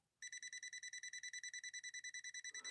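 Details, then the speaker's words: Machine from London, England, run through a step-up converter, tester on the power cord: a fast, even run of high chirps, roughly nine a second, then stops; power is intermittent, a loose wire in the cord is suspected, and the motor tested good. "see what i'm noticing there we could have a loose wire in there couldn't we we're getting power there we're not getting any power wait wait a second now we are"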